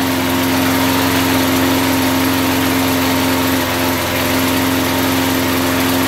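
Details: Single-cylinder mower engine running with car wax as crankcase lubricant: a steady buzz with a clear whine on top, no knocking or seizing heard; it survived the 10-minute run.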